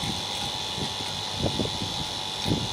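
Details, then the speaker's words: Vacuum pump pulling vacuum on a 2-ton Daikin mini split after a welded contactor repair, running about 15 minutes. Steady hum with a constant high whine, no knocking or labouring: normal operation. "okay so this vacuum pump is been running for like 15 minutes not even 30"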